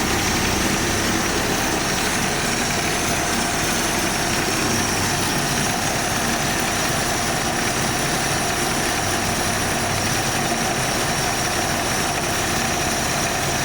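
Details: AMC Jeep carbureted engine after idle repair and choke work: it settles into a steady, even idle with no hunting or racing and runs smooth and healthy.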